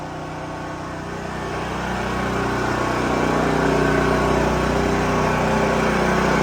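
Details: New Holland Agriculture 6500 W generator, engine freed after seizing from running low on oil; restarted with valve cover back on, spark plug installed, fresh gas, choke pulled. Steady, even run, slightly louder, holding speed without misses or knocks; running normally.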